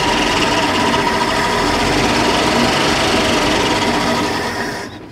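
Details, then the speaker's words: 1962 Dodge D300 work truck, old six, off the road about 34 years, first start fed through the carb bowl with choke: fast, even clatter, no lifter tick, knocks or misses; fired right up, super quiet and healthy. "that thing fired right up man I am impressed that is a runner barely had to get it going the engine does look good but looks can definitely be deceiving that was super quiet sounded super healthy"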